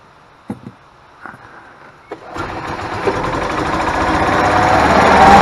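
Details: Club Car golf cart single-cylinder engine that cranked without spark, after replacing RPM limiter box: a few clicks, then engine catches and settles into steady rising putter; starts and runs normally.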